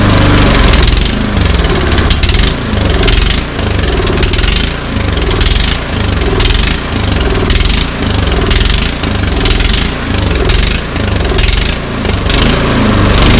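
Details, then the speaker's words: Troy-Bilt Storm 2410 snowblower engine started with choke, throttle and prime, surging and hunting with revs rising and falling about every second; running rough, with a fuel system or carburetor fault suspected. "it came in yesterday and it is running rough it's hunting it's surging i'm guessing fuel system carburetor"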